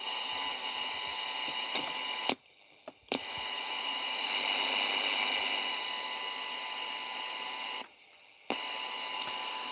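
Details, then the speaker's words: Pocket radio under repair, test signal at 0 dB after raising the current limiter: a thin steady tone sits under constant hiss and cuts out briefly twice. The IF passes signal, but very weakly. "as you can hear, the IF is getting through. Just very, very weak."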